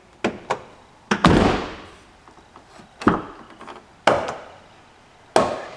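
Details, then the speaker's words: 2005 Chevrolet Silverado 2500HD Duramax, driver's door swung open: several loud, dry snaps a second or so apart from the worn door check. Lubrication didn't stop it, so it is to be replaced. "Okay, so that is this door check right here that's snapping. Now I've tried to lube this thing up and it will not stop snapping, so going to have to replace it."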